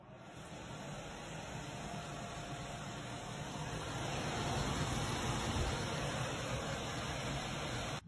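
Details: HVAC system not cooling, after replacing burnt-out blower motor: steady, even rush of air with a smooth motor hum that builds gently and holds; new blower running normally.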